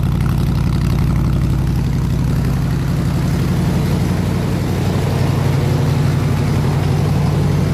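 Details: 302 V8 driving an air compressor, warm at 160 degrees, fuel pressure 9 psi, ignition wires re-ended to fit the cap: steady low burble, even pulses, no misses or knocks; normal running.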